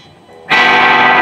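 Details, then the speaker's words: Guitar with EMG 81 bridge and EMG 85 neck quick-connect pickups not wired as quick-connect: distorted chord rings loud and clear with volume and tone knobs at zero; suspected incorrect wiring, battery not draining. "can still hear it so something is not wired correctly but it's not draining the battery so I don't know if I should worry about it or not"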